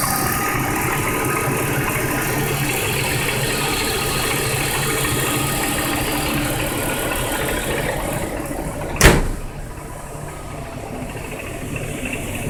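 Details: 1999 BMW 323i (E46) at idle: fine fast ticking/knocking with one sharp click near the end; spark plugs checked and fine, no dashboard lights, cause unknown.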